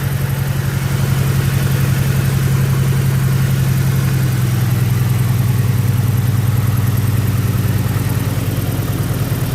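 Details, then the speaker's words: BMW E90 restarted after running out of fuel: first runs limping, then settles into a steady, even low idle with regular firing pulse and no misses; running smoothly. "sudah hidup ya, tapi kayak pincang ya. Oh, sudah mulai halus ya."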